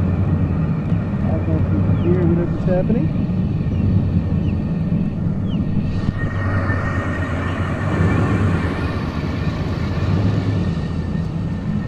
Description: Truck is making weird rumble noises still.